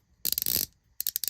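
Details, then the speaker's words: Asian knockoff palm ratchet, unlubricated, for comparison with a greased one: sharp, uneven clicking that catches and stalls; sounds dry, not smooth, grabs and pulls, needs wearing in with lubrication. "could hear how dry it is. And it's not smooth. It grabs, it pulls."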